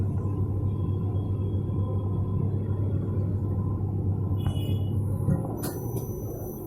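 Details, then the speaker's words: Whirlpool Stain Wash Ultra 6.5 kg washing machine on spin after the gearbox was replaced with new 6205 and 6006 bearings and an oil seal: a steady, low, even hum, with the earlier spinning noise now gone. "ये spin चालू है। पहले spinning में आवाज़ आ रहा था। Problem solve हो चुका है इसका, अब इसमें आवाज़ नहीं आएगा।"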